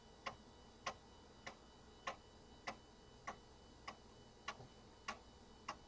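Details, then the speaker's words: Compaq Deskpro floppy drive formatting a system disk: crisp, sharp ticks about every 0.6 seconds, near 100 a minute, in a quiet room. The drive is very loud but works; normal floppy seek noise. "that drive is so noisy you guys hear that probably the loudest floppy Drive I own but it works that's the important thing"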